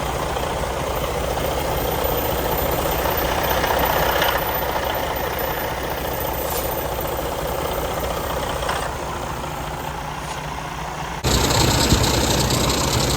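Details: Freightliner Cascadia DD13/DD15 diesel after water pump replacement for a coolant leak, coolant still being topped up: even, steady idle with a low regular beat and no knocks or rattles; idling normally.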